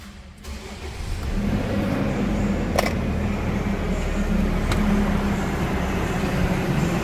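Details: 2017 Nissan Frontier 2.3 diesel, after steering box, suspension and brake work: quick crank and catch, then steady even diesel clatter at idle with no misfire or knock; healthy engine.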